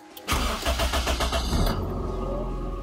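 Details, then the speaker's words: 2001 Honda City Type Z automatic, cold morning start, not yet warmed up; brief crank then high even idle easing down, normally rising to about 1500 rpm then dropping to 1000 and 700–800 — normal cold start. "Oke normalnya ketika mesin naik tajam kalau mau beli mobil seperti ini ketika pagi hari di nyalakan harus naik ke 1520 baru dia akan perlahan turun ke 1000 dan lama-lama dia akan turun ke 700/800"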